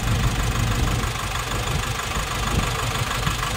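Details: Nissan NV350 diesel with strong engine vibration and no check-engine light, heavy uneven idle with shaky low throb, tested by unplugging injectors; compression blowing past the leaking number three injector washer causes the rough idle.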